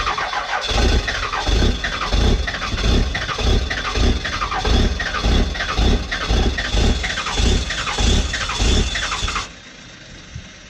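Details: 1997 Dodge 12-valve Cummins diesel, automatic, over injectors, #0 fuel plate, known exhaust leak, cold start at about 20°F: long slow cranking, about ninety-eight even chugs a minute, never catching before stopping; hard cold start.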